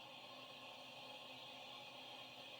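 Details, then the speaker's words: Salvation Army-bought appliance after repair of its burnt power cord; steady, even, low-level high hiss with no pulsing or crackle, showing it runs normally. "Yeah, that means it's working."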